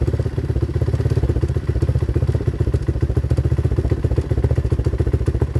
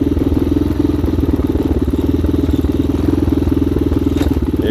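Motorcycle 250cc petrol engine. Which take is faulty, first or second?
first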